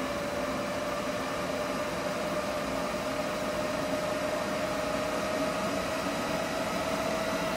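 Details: EG4 6000EX solar inverter in a barn system, charging batteries at about 50 A (100 A across two inverters): an even airy fan rush under a thin, steady mid-pitched hum. Normal charging under load.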